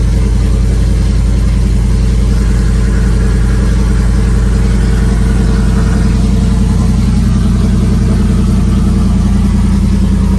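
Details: Naturally aspirated cammed V8 (HPT cam) just after BES Racing heads install, long tube headers, full bolt-ons; deep even rumble rising and falling smoothly with throttle, no top-end tapping or clatter; normal running.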